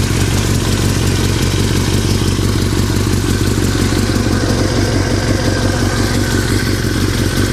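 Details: 2003 Yamaha R6 at steady loud idle, rattling since a recent trip to Europe: loose, irregular metallic clatter on top; owner unsure if normal or if performance is affected; engine rattle at idle, cause unknown.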